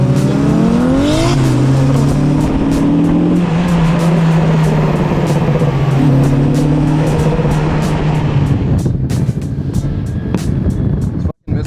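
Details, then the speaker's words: Toyota JZX100 Chaser engine note holds flat and stutters under load, hitting a tune-based limiter because the engine stayed below 160°F as the fans switched on immediately at startup. "so we figured it out and basically had a tune-based limiter because it wasn't getting above 160 degrees F"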